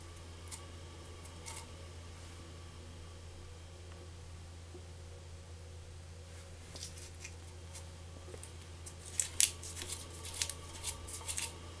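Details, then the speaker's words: Ampex MM-1000 tape recorder capstan hysteresis sync motor and flywheel with 40-year-old Mylar belt, exposed: steady low even hum with no knocking, flutter or scraping, a few light clicks late on; smooth normal running. "And I just wanted you to hear how smooth and quiet this is as it spins."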